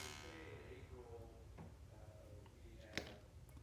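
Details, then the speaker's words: Bava studio teak Delhi-style harmonium with a buzzing reed, after nudging the reed away from the housing side with a tool; a plucked reed now gives a clean, ringing twang that dies evenly with no buzz: reed vibrates freely. "i'm just going to nudge it a little bit more and now it's now it's sounding freely as you can hear"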